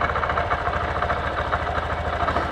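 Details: 2023 Honda CB125F single-cylinder, warming up at idle before an oil change. The beat is even and steady with no rattle or ticking on top. Normal smooth idle.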